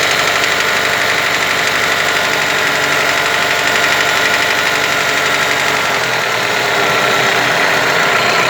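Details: Toyota 4S-FE engine knock that appears above 1500 rpm; steady engine hum with a fairly regular knock, roughly four per second, riding on top; cause not yet identified.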